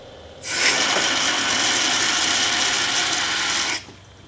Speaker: you can even hear these shock waves which sound like gravel moving through a pipe if i build up enough pressure in this tank and open the valve to the venturi you can clearly see and hear the cavitation